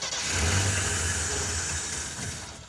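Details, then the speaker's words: AMC Pacer with a Holley Sniper two-barrel EFI kit cranks and stumbles as if wanting to run, then dies; the electric fuel pump never keyed on, so there is no fuel delivery. "that sort of wants to run I wonder if it might just be out of gas well the fuel pump would still run you would hear it go"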